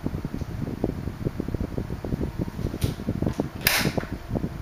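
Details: 1976 Electrohome 30 cm desk fan, four blue plastic blades, on low speed: soft hum with light ticking and a few cracking sounds when oscillating; quiet, running normally.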